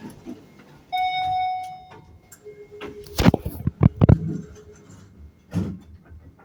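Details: One clean mid-pitched beep lasting about a second, then footsteps and clatter; an electronic alert from some device, source not identified.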